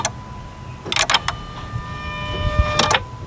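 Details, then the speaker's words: Dodge van no-start with new starter and new battery, TIPM suspected: on crank, quick bursts of dry clicks from the relay box with a faint electrical whine and no engine firing; relay clicking, no start. "and there's a clicking sound in here and there's a clicking sound there on the relay maybe that might Enlighten someone"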